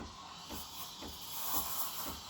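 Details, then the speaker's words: Breville Barista Express BES870 steam wand, tip held near the milk surface for the first 10 seconds: steady airy hiss with soft pulse about twice a second, normal air injection while aerating milk. "you're hearing this hissing sound that means you're injecting air into the milk so I'm gonna hold that for 10 seconds"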